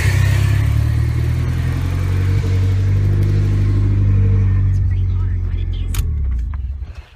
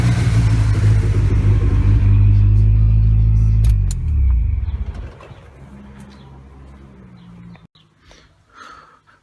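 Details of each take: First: Car with a newly installed turbo, blow-off valve retuned for low boost until a new fuel pump is fitted: deep engine note ends in a clean, solid whoosh with no flutter. This is normal blow-off valve operation with no compressor surge. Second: After a new turbo install, the blow-off valve has a spring that is too stiff. On lift-off after a hard rev there is a fast chopping flutter of about four pulses a second as it winds down. This is compressor surge, which harms the turbo.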